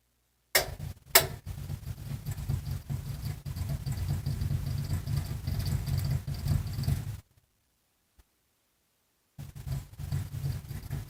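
Soft, uneven low thumps about two to three a second with pauses between and no spin-up: the blower motor is rocking but won't start.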